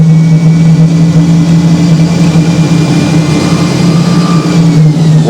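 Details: Hoover Spinarinse 3012A spin dryer from December 1968, after the drain hose was repaired with silicone and still leaks slightly; loud, steady motor hum holding one pitch with no grinding or knocking. Normal spin.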